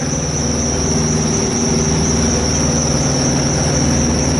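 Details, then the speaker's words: Thermo King APU on a long-haul truck at startup: a steady, piercing high squeal over the small diesel's even running that stops once it is running and the AC clutch engages; the owner says it is not the belt. Cause unconfirmed. "everything works once it engages and starts running and everything in the AC clutch engages it'll stop making a squealing noise it just doesn't rate at first it's not the belt or nothing up in there quite a ways"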